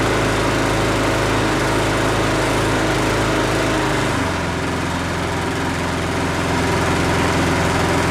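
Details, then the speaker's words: Husqvarna 510 MD push mower that had hit something with its blade, running after the flywheel key was replaced. Steady, even drone at a constant speed with no stumble; slight vibration remains from a small crankshaft wobble. "so that worked good guys it's not sputtering and puttering or anymore it does have a vibration and that's due to the small amount of crankshaft uh wobble"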